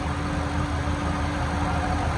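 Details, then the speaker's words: LS-swapped Monte Carlo V8 at idle; a quick, light puffing tick rides over the rumble in time with the firing, from a small exhaust leak at the down header/exhaust manifold. A valve cover is also leaking. "On the down header. Listen. It's from the exhaust manifold."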